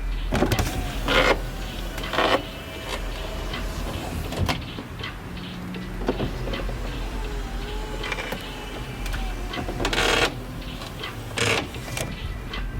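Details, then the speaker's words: BMW E46 sedan front passenger power window regulator, failing but not completely: uneven whirring as the window travels, broken up by loud clicks and crunches at intervals; worn regulator on its way out. "so we'll show you a clip right here of what a window regulator sounds like when it's failing not completely"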